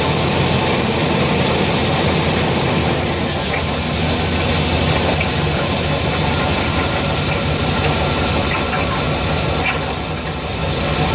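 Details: 350 TBI V8 idling, recorded just behind the driver-side front wheel: rough, uneven knocking at about four per second; the owner suspects the flex plate.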